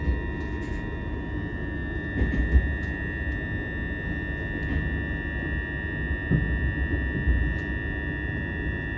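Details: c2c passenger train in motion: constant high electrical buzz near 2 kHz over the low rumble, present for years on most of their trains; cause unknown, possibly an open mic channel or fault.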